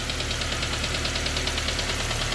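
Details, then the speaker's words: K-swapped Honda Civic EP21 after IACV delete, warm idle: quick, regular light ticking about ten a second, a new annoying tapping heard from the back of the cylinder head somewhere; no leaks found, cause not confirmed. "no leaks still got that annoying tapping sound you're here to come from the back of the head somewhere"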